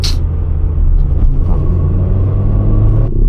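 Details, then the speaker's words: Cheap daily-driven car thrashed hard: loud low engine rumble under hard throttle with rough crackle; sounds straight-piped, exhaust popping and banging, driver unsure if it was engine knock. "you hear that? It sounds a bit straight piped. It's popping and banging."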